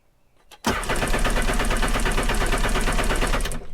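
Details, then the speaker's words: Sea-Doo jet ski during oil change, cranked without starting to move oil: sluggish, labored cranking about three beats a second, never fires; brand new battery almost dead, too weak to spin it properly. "for some reason my brand new battery is almost dead but one more time and then we're gonna use it"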